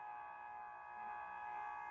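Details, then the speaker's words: 1978 Stern Nugent pinball machine at its first power-on after assembly: a steady, piercing high tone holds unchanged from power-up. The soundboard is squealing, cause not yet found. "okay we got a bit of a squelch from the soundboard"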